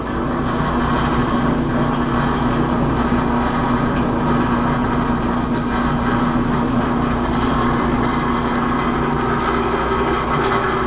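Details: Whirlpool LE5650XMW2 dryer running: continuous fast rattle over its steady hum, blower wheel found normal, the noise turned out to be the idler pulley.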